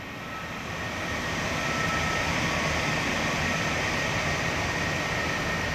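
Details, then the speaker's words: Loud steady rushing air with a faint whistle at a ceiling return air vent of a ducted AC unit that is struggling; a dust-clogged return air filter is restricting airflow, recorded before cleaning. "And you can hear just how noisy that is. We're going to compare the same noise at the end once it's cleaned."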